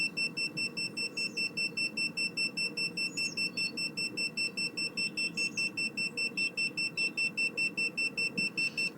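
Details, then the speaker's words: Planar/Autoterm diesel heater in a campervan on its first run, 11 °C outside: CO meter held at the exhaust pipe beeps shrilly and evenly about 2.5 times a second, alarming on carbon monoxide, possibly incomplete combustion on first run. "which you might expect although carbon monoxide is a sign of incomplete combustion but again this is its first run so I'm not entirely surprised"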